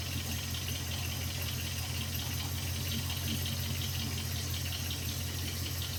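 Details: 2001 Jeep Grand Cherokee WJ 4.7L PowerTech V8 at cold idle: faint dull low knock about three a second under steady rumble, only when cold and gone within 2 minutes; owner suspects rod knock, unconfirmed.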